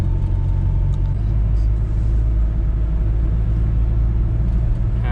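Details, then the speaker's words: Toyota Corona 3S-FE after spark plug replacement, low-speed driving: deep steady rumble without hiccups or surging, pulls smoothly; it previously jerked at idle and at low speed, and now runs normally. "ก็ราบรื่นปกติดีนะครับอ่าโอ้นี่เหยียบพุ่งจะพุ่งนะครับ"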